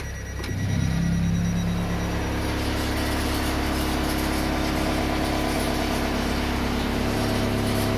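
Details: Hyundai Santa Fe DM, cold engine: idles normally in Park, Reverse and Neutral, but a steady low drone appears once shifted into Drive; noise goes away when warmed up, cause not yet pinned down.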